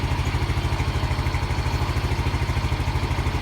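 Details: Yamaha Mio M3 scooter after fixing code 46 charging fault, battery charged and MIL off: an even single-cylinder putter at about three beats a second, steady with no rattles or misfires. Normal idle.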